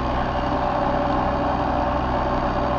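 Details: Older Trane XV90 two-stage gas furnace running after a thermostat call: its ECM-controlled blower gives a constant loud droning hum with a rough, train-like rumble; noisy blower motor.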